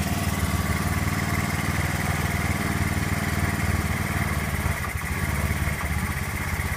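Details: Honda Zoomer-X scooter after fuel pump motor replacement, pump pressure about 300 kPa (about 3 bar): engine catches and settles into a steady, even putter with no stumbles or hunting; healthy idle.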